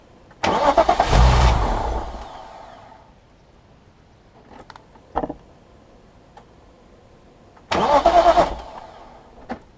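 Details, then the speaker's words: BMW S50B32 engine after refitting VANOS and diaphragm springs, fuel pump fuses 13 and 18 removed: two spells of steady starter cranking without firing, building oil pressure until the oil light goes out before first start. "Crank it over until the oil pressure light goes out."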